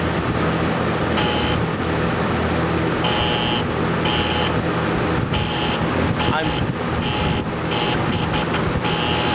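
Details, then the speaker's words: Air-cooled P502 TIG welder, high frequency switched off: short bursts of thin metallic buzz over a steady hum from the middle relay chattering while the right relay, which controls the big relay, is held firm. "So that buzzing sound, that sort of light rattling sound is from the middle relay while I hold the right relay, the one that controls the big relay, firm."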